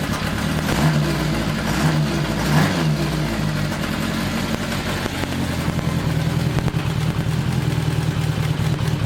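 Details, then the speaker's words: Rebuilt 1982 Kawasaki 750 LTD four-cylinder on first start with temporary DIY air filters idles unevenly, surging and dipping between blips. The engine runs, but the carburetors still need synchronising and adjusting. "it still needs a lot of adjustments so that still has to be done and uh but the engine in general uh is running fine so there are a lot of carburetor adjustments to be done"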